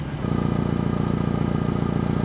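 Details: 2016 Volvo XC90 idling on the lift, loud roaring complaint: rapid even puffing pulse with raspy edge from an exhaust leak at a flange gasket.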